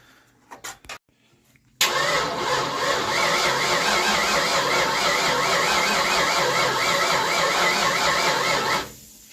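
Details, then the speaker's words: 1988 Ford Mustang GT V8, unstarted since 1999, good fuel pressure: seven seconds of even starter cranking with a wavering whine, no firing at all; cranks but won't start, no spark at the plugs. "No joy. Go ahead. Stop. Fire it again. Nope. No spark again. Don't understand it."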